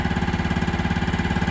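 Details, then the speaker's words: Older Kawasaki Mule 550 UTV, sat 2-3 years, just revived: an even low thump about ten times a second, steady with no miss or stumble, and no smoke; it idles cleanly. "Not smoking. Goodness gracious, it actually sounds okay."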